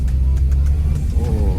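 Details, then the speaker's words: Used 2006 Suzuki Swift automatic on a pre-purchase test drive: deep, smooth engine rumble pulling up steadily with no jerks or clunks; very responsive, and gear shifts are smooth under acceleration. Normal. "mungkin kita tarik aja dia sangat responsip ya sangat responsif"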